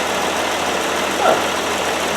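Steady idle with even firing and a consistent hum, no missing beats; the rear cylinders sound like they're pulling their weight.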